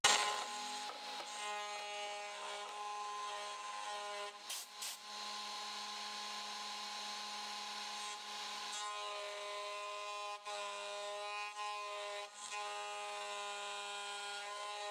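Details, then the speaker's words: Small CNC mill cutting aluminium: steady spindle whine under a harsh rasping scrape as a broken, dull 3-flute carbide end mill chews the aluminium instead of cutting cleanly. "I ran out of juice when I was cutting this and it sounded terrible but I will say that if you got a look at the gander at this broken ass 3 flue cutter this is not sharp"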